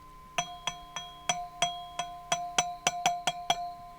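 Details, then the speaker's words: Power tube on a homemade audio tube tester, about 400 V plate and 12 mA, high gain noise test while tapped: each tap rings briefly with clean bell-like glass resonance, no buzz or loose-grid rattle; tube is sound. "I don't hear anything really rattling inside the tube just the standard kind of resonance of the glass itself"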